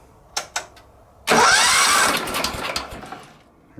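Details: Wheel Horse 315-8 garden tractor with a Kohler CH15S won't shut off: magneto primary grounded and everything except the starter wire unhooked, yet it still sparks. Starter cranks in a rough one-second burst, then the engine sputters, trying to fire.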